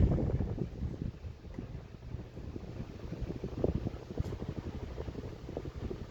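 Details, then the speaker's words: Old Jacksonville Vicksburg stack-motor ceiling fan with rubber flywheel, running on high: only a soft low hum and a faint airy whoosh with no ticking or rubbing. Very quiet; normal fan running. "Moves a good amount of air. Like I said, that's high. Very, very quiet, as stack motor fans with rubber flywheels tend to be."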